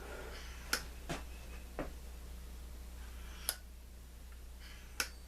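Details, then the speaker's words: M-14/M1A rifle, fan off and op rod open, rifle tilted to slide the stainless gas piston. Sparse, crisp metallic clicks as the piston slides end to end. It moves freely, so the gas system is clean enough to run semi-auto. "that's how you test an M14 to see if how dirty it is if that piston is sliding back and forth you're in good shape"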